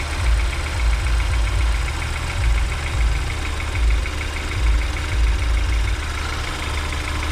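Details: BMW N20 at cold start after a new oil pump and timing job: a thin buzzing tone over a slow, uneven low throb at idle; owner suspects the oil pump balance shaft, source undetermined.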